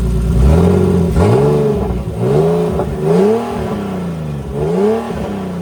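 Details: Big-turbo BMW E46 on a new tune, warm, open downpipe with no exhaust; engine blipped up and down roughly once a second with a raspy, open rattle from a wastegate held on but not tightened.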